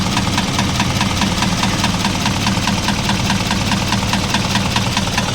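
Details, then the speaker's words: Isuzu 4HL1 electronic diesel idling: steady dull knock about twice a second over the clatter, with smoke puffs in sync. It gets louder when revved slightly; rocker arms and valve clearances are fine, external parts checked. "ngayon ay Subukan natin na siladan ng konti lalong lumalakas ang tunog na naririnig natin"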